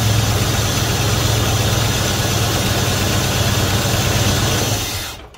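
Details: 1971 Dodge Coronet police car, 4-barrel 383 big-block V8, first start since the early 1990s after new plugs, wires and oil change: even rumbling idle, no tapping or misses, then shut off; gauge shows 75 psi oil pressure (owner doubts reading). Normal idle.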